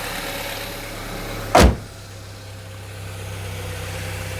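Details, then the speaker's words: Saab 9-3 Convertible, with everything reconnected after a headlamp bulb replacement: one loud clunk, then a low, steady idle hum that settles evenly with no misses or rattles. Normal idle, running as it should. "Everything's connected up again. All sounds good. Running as it should. Marvelous."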